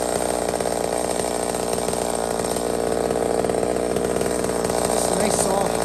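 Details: Small Homelite chainsaw, described as 28 full house on a stock chain, cutting: a high, steady snarl holds revs through the cut without bogging. Normal cutting; running strong and healthy.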